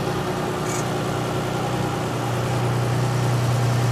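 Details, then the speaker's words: 1999 Isuzu Rodeo revived after years off the road, new fuel pump, just started: steady idle, low even hum with faint whirring building late; noise at idle, owner suspects idler pulley bearing, unconfirmed. "Yeah, it sounds like a bearing idler pulley or something like that. We'll oil him up good."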